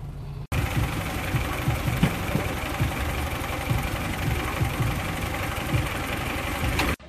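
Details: Mazda Protege5 that shakes, sputters and keeps shutting off has a rough, uneven idle with irregular low thumps and stumbles. This is an ignition misfire from ignition coils arcing, with their insulation worn down.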